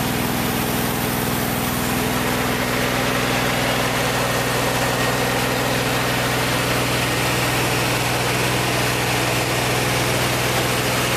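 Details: Vintage VW air-cooled flat-four from a 1956 Beetle barn find (not original engine), first run after 23–24 years stored, after carburetor work: steady even burble at idle, no knocking or rattling over the hum; idling smoothly.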